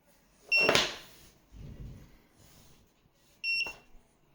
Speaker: What should I do? It cannot stop beeping. The only way I know how to stop it is to put the charger on.